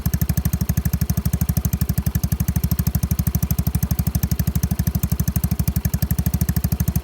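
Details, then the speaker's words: Yamaha Mio scooter with replaced engine, new battery, fresh fuel, idling after start: even, steady putter with regular beat, no knocks, misses or rattles; healthy normal idle. "ับใบทัดสีแดงนะครับเพิ่งเบิกนะครับใครไม่ซื้อกูก็เบิกใส่เรื่อยๆครับเพราะว่านมาเครื่องเปลี่ยนใหม่นะครับรถคันนี้เครื่องดีมากครับบนเป็นแบบดีอ่าเดี๋ยวสตาร์ทเครื่องให้ฟังครับ"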